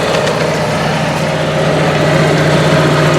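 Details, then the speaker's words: Onan Marquis 5500 RV generator (1998 Bounder motorhome, 20+ years old, 60 hours) after carburetor rebuild, running on gas from a can; steady even low hum with constant beat, no misses or surging; owner says it sounds really good; normal running. "For now, I'm just happy to have it running. It sounds really good, and I"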